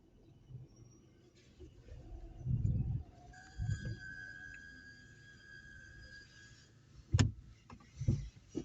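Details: Opel Meriva: thin, steady high squeal lasting about three seconds between dull thumps, source unknown, owner wonders whether a workshop is needed; squeak.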